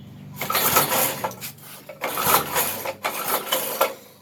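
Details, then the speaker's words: 33-year-old Briggs engine on a yard kart restoration, chain off, cranking on choke in uneven bursts about four per second and never catching; fuel squirts around the throttle shaft, and the owner suspects carb problems flooding the engine. "It's got carb problems or something, because when I crank on it, it squirts out fuel around the throttle shaft. That ain't good. It's probably just flooding the engine."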